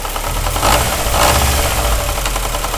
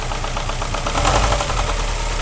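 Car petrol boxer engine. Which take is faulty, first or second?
first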